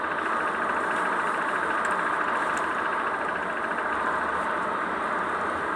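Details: Kia K3 gamma GDI engine at steady idle with busy light tapping/ticking in the mid tones; source not pinned down, tappet, scuffing or knock suspected.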